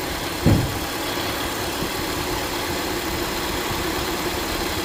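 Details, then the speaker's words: 2022+ Honda Civic 2.0 LX idling with the new serpentine belt back on, after debris behind the crank pulley was cleared: a steady, even hum with no squeal, chirp or rattle. The earlier noise has not returned. "We're gonna start the engine and take a look again and listen if that sound is back. So seems like it's okay."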